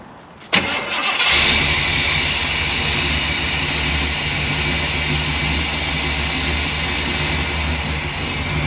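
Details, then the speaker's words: Truck running only on poured-in fuel since the electric fuel pump seems dead (likely TBI): short crank, catches straight away, settles into rough, uneven idle; dead fuel pump. "H that fuel pump most likely TBI so that's going to be a pain in the"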